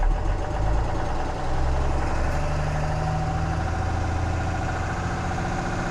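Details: 2014 Cummins 6.7 diesel idling after a CAT 1R-0750 fuel filter install on a BMP housing, primed to about 10–11 psi: steady, even clatter with a smooth low rumble and no misses or odd noises; healthy idle.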